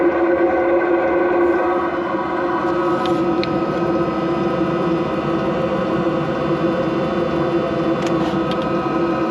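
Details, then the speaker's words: HLN diesel coolant heater newly installed on truck, started in cold snowy conditions despite battery issues: smooth constant hum with soft steady whir, no surging or rattling. Normal running. "Yeah, it's cold. I got it going. You can hear it running."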